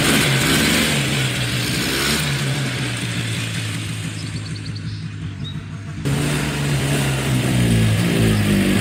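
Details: Scrap four-wheeler repaired in a driveway: small single-cylinder engine holds a steady, even idle with a light throttle blip, no knocks or misses; now running and driving and smoking less.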